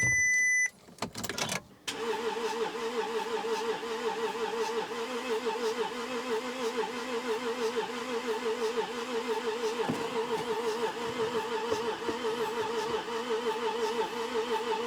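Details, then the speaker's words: Volkswagen Touareg V6 diesel, a non-runner after partial disassembly, cranked after injectors were coded; the starter turns steadily at about three beats a second with no firing. Owner suspects no compression and an injector clamp problem. "so we were winding it over a moment ago and I thought sounds like it's got no compression"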